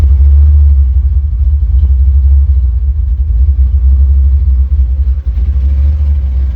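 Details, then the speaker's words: LS-swapped Chevrolet S10 V8, tune still being worked on, 2 1/4-inch exhaust with mufflers; deep, steady, slightly lumpy low rumble with even beat, no knocks or ticks, quiet, sounds like an old hot rod — normal idle. "It's pretty quiet compared to what it used to be. Very quiet. But I like it. It sounds like an old hot rod, honestly, but it doesn't really sound like an LS, to be honest."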